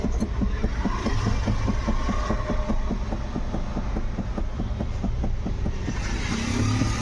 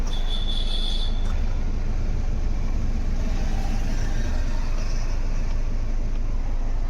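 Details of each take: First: Ford EcoSport, steering rack already replaced and cross joint checked OK: repeated dull thuds, three or four a second, over steady idle, also heard when turning or over potholes; worn part inside the steering column knocking. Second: Ford EcoSport after steering column repair, engine running while the wheel is turned: only a smooth low hum, the earlier dub-dub knocking from the column gone; normal steering.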